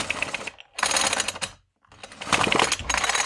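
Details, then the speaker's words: Echo CS-3000 top-handle chainsaw that was running poorly and lacked power, carb cleaned and a few squirts of penetrating oil put in the cylinder: two firm starter-cord pulls with regular chuffing against the piston; compression sounds good. "I put a couple squirts of penetrating oil in the cylinder before pulling the cord just to make sure"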